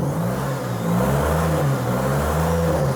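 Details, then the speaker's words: Firebird that sat 20 years, first run after tapping stuck injectors, straight-piped exhaust: a deep, steady, even rumble with slight rev swells and no misfire or stumble; it runs smooth with good oil pressure. "Wow! This sounds really good, guys. Are you kidding me right now? I don't even know if it's missing. Oh, that runs good."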